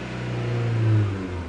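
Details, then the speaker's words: 2001 Mitsubishi Galant with a counterfeit camshaft position sensor and NGK copper plugs: misfire from about 1100–1500 rpm, but once revved past that the engine climbs and settles cleanly with a steady, even hum, no stumbles or popping; smooth revving. "With the NGK coppers, it starts at about, I don't know, 1100, 1,200 up to 1500. But soon as you get past that, boom, no misfire."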